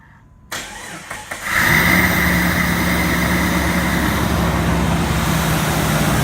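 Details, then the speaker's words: 2001 Jeep Grand Cherokee 4.0 inline-six after engine swap, previously backfiring and not starting; after new crank sensor it cranks briefly, catches cleanly and settles into smooth, steady idle with no backfires or misses. "so I just changed it and this is what it does after putting a new crank sensor round listen to this"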